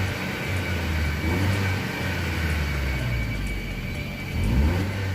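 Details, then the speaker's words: Skoda Fabia petrol, earlier jerking/misfire above 3000 rpm: after injector cleaning and wiring check, starts fine, steady even idle and normal rev rise on throttle. "अभी तो कोई स्टार्ट भी ठीक हो रही है, और एक्सीलेटर देने पर ये आरपीएम बिल्कुल ठीक है इसके।"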